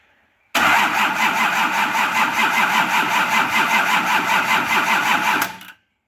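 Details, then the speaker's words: Nissan LD28 diesel in a 40 series Land Cruiser, not run for years, injectors cracked to bleed air: steady cranking at about 2.5 turns a second with even compression pulses, never catches; fuel cut-off solenoid not energised, so no fuel flows. "The problem was all along that I hadn't thought about, I hadn't even considered the fuel solenoid. So when you turn the ignition on, the solenoid plunger is drawn in just like a starter solenoid plunger is drawn in, and that allows fuel to flow."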